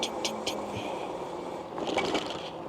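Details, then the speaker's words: Meelod DK300 Max 48V dual 1200W motor ebike riding on road: light, quick metallic ticks repeat with wheel rotation, no squeal; the front brake rotor, damaged in shipping, scrubs the pads. "hear that front rotor up there scrubbing like I said they supposed to be sending me another one so that was just damaged in shipping"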